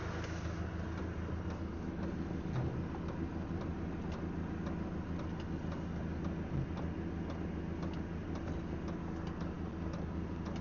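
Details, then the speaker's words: Diesel heater newly fitted to a Land Rover Defender 90, running and blowing warm air: steady light ticking of a couple of clicks a second over the low fan rumble; the owner hopes the fuel pump clicking stops once fuel has circulated. "The only thing that's annoying me is I can hear the fuel pump clicking, but I'm hoping once the fuel's got around properly, it will sto"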